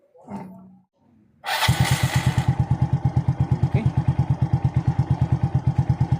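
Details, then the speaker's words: Yamaha Mio Sporty scooter after CVT clutch lining replacement (had smoked and wouldn't pull away): starts first try, quiet steady putter of even beats about nine per second, still very quiet. Normal idle after repair. "Tahimik na tahimik pa rin."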